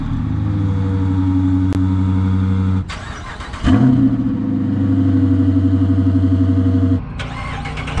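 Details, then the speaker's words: V8 muscle car idling after an aftermarket exhaust change (stock exhaust nearly silent except on cold start): deep, even burble with a brief throttle blip, full but not excessive. Normal V8 exhaust idle. "Bon, vous en pensez quoi? Ça chante maintenant, hein? Là on l'entend bien le V8."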